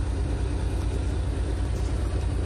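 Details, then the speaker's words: Freightliner Cascadia DD15 diesel after cam housing replacement and timing, revved with the Jake engine brake activated. A steady, even deep rumble carries no knocking or ticking on top; no weird noises, so the engine is healthy. "so everything looks alright so there is no weird noises no knocking noises"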